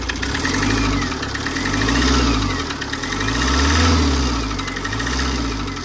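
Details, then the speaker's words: Tata 2.2 diesel, hard starting, revved in slow swells with a hard, steady knock deep inside the block; teardown found cylinder 2 piston damaged, warped head, leaking water pump, seized injectors; internal engine knock from a damaged piston. "อาการสตาร์ทติดยากแล้วก็มีเสียงเขกนะฮะอ่ะโนี่เสียงเขกกั้นเลย"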